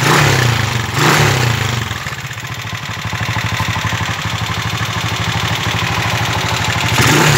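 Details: 1995 TMX155 single-cylinder motorcycle, noisy and smoking: idle with a loud, fast clattery ticking over the firing beat, from a worn, loose valve train; valve train tapping.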